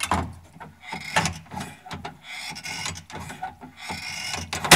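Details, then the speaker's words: GM K5 truck door latch squeaking and clicking about once a second as it is worked, dry shaft and spring needing lubrication; "a haunted house." "Amplify that 100 times, it would be a haunted house."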